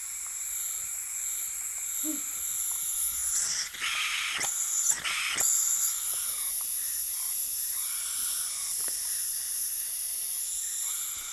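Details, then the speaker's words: 16-year-old System X NME paintball marker with old parts-kit seals, aired up with no battery: a steady, unbroken hiss of escaping air from the bolt and breech; air leak, suspected ram O-rings or possibly poppet O-rings, not confirmed. "Also wie man hört, sie zischt. Batterie gerade keine drin. Jupp. Eigentlich keine große Sache, so vom Hören. Also es zischt aus den Bolzen, es zischt aus dem Breech."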